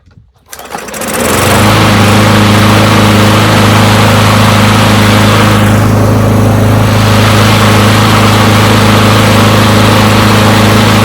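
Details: Push mower from a neighbor who said it wouldn't start, run to warm up after long disuse. Pull start catches within a second, then a loud, even buzz at constant speed; runs pretty good; normal running.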